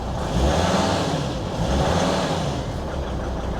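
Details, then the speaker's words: 2003 Volvo XC90 D5 diesel after new engine mounts were fitted: idle intermittently chugs and surges unevenly instead of holding steady, returning to normal when something is knocked off; cause not yet explained. "Oh, it's chugging. I'll talk about that later. It's weird, that is. If I knock it off, it runs normal again."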